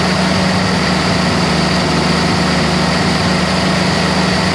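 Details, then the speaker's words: 1948 Jeep CJ2A four-cylinder, running after 30+ years stored, carburetor freshly installed: uneven stumbling idle beat around 220 per minute; owner suspects carburetor vacuum leak and badly off timing, unconfirmed. Rough running. "I have a feeling this carburetor is kind of vacuum leaky on me. Let's give it a shot. Ignition on. Pump a little fuel in. It's definitely got some sort of vacuum leak where the timing's just really off."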